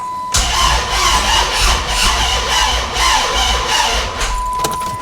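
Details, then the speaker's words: 2006 Dodge Charger no-start, cranking with a current clamp on the negative battery cable: fast, perfectly even starter spin; about 280 A flat current line without peaks at each top dead center, so no compression across cylinders. "And it's got a flat line, except for these two dips. It's just got a flat line of current. And what we're hoping to see is peaks and valleys every time a piston comes up to top dead center, which we're not seeing here."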